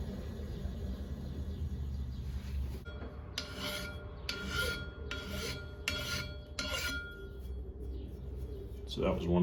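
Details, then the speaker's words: Machining an 18-inch clutch plate with brazed carbide at reduced tool pressure: steady rasping cut breaks into a rougher scrape about once a second crossing a hardened, previously crashed spot; possible height deviation to be checked. "You can still hear how it's not quite cutting the same, but it appears I'll have to throw a straight edge on here or maybe even a dial indicator and see if it uh has a devian in height from the rest of the surface."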